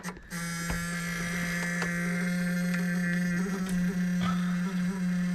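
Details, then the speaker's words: BMW E9 3.0 CSi barn find, stored over 20 years, during a first start attempt: a loud steady low buzz comes on with ignition power and holds constant, and the key does not crank the engine. The owner suspects a relay. "really buzz it we're buzz it now it's stop buzzing could be on a relay right"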